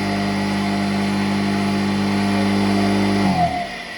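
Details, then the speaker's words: 220 V single-phase electric motor wired with a run capacitor for reversing, first direction test: it spins away from the viewer to the right with a smooth, even hum, then winds down at switch-off; healthy. "Электродвигатель вращается от меня, то есть туда, вправо."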